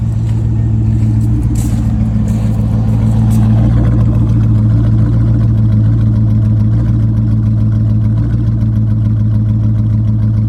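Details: C5 Corvette V8: low idle that lopes and stumbles unevenly with a faint clatter; rough idle, cause unclear.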